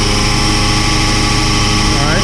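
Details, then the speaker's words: Oilfield water trailer PTO vacuum pump over the truck's idle, pressure relief valve being closed: steady even roar sucking air into the trailer, no knocks or surging; pump running normally. "all right you can hear it sucking it's got sucking air into the trailer"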